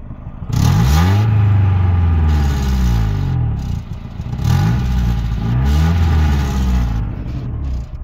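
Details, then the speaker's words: 1991 Honda Civic RT4WD EF wagon that burns oil, driven while trying to make it overheat (it doesn't, no white smoke). Revs rise and fall through the gears with an uneven stumble under load, a light misfire; owner suspects an AC line pulled a distributor plug wire. "well, it was misfiring a little bit. I think that's something else."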